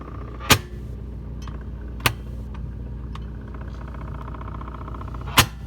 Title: Whirlpool side by side refrigerator knocking HELP!!!